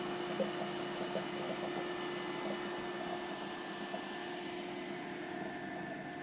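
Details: Orbitalum Orbimat 165 CA orbital welder power source, quick function test with start weld: even steady hum and whir with coolant water pump and gas flow running smoothly, no faltering; unit runs normally.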